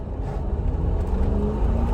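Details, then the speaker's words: Mercedes G500 V8 under hard acceleration around the block, AC off, no error codes: strong, even pull through the rev range, shifts smooth through all gears, no misfire, clunk, squeak or rattle; healthy. "so shifts totally smooth through all the gears that's probably actually the most i've ever accelerated this thing before"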